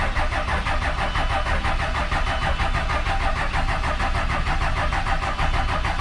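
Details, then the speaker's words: 24-valve Cummins diesel after VP44 injection pump removal and reinstall, cranked with the injector lines cracked to bleed air. Steady fast starter churn with even low chuffing and no catch yet; fuel is now coming out at the injectors. "All right, see if that did anything. Yeah, we got fuel coming out of those. Tighten them down. So that's good."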